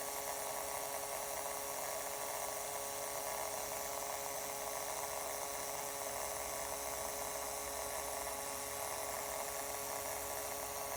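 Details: Acer Predator G9 (593) laptop after 9–12 months of use, internal speakers: faint constant buzz with fixed mid-pitched hum and hiss when system heats up, also in BIOS or file copies; owner guesses southbridge-area interference; 3.5mm output works clean.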